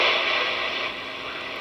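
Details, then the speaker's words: Radio repaired by replacing a faulty transformer, working on AM and sideband, signal generator off: soft, even hiss with a faint buzz, no crackle or dropouts; the buzz is noise from bench LED lights picked up when the chassis is touched; normal background noise. "you're just the background noise i think you can hear that those led lights i have above my bench here right there those suckers generate some noise so when i touch the chassis of the radio it goes into the radio"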